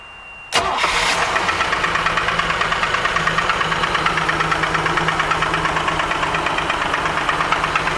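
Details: Crest III pontoon boat engine at intake: fires up, then steady rhythmic knock about three per second rides over the idle, internal knocking of unknown cause.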